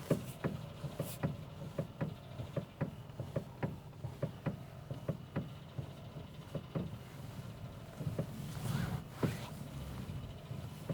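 Quiet cabin with sharp, fairly regular knocks every half second or so while driving; a front-end knock, possibly from the steering rack.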